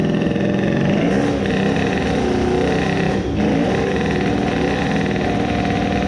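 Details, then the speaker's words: Tuned 20 hp two-stroke moped engine after crankcase resin filling, first start despite very stiff lever: fires up and revs freely with crisp even buzz, settles back cleanly; runs normally, owner hears maybe some grinding. "it started normally when I tried it first time, it felt like it was welded I was sure it will not start. but then it just idled normally"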